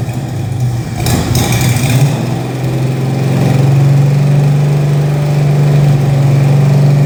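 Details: 1968 Mustang Fastback 351W, run after 25 years, cam bedded in, warmed up, after fitting missing torque converter-to-flexplate nuts that caused chatter: deep even V8 burble swells with throttle blip, settles to smooth steady idle — normal idle and revving.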